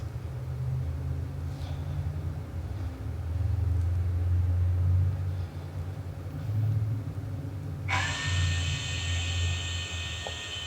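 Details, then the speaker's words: 2017 Harley-Davidson Road Glide, ABS pump commanded on through a scan-tool actuator test: a low engine rumble, then a sharp, high, steady buzzing whir; the ABS pump runs normally. "pump is running you should have been able to hear that audibly in the video"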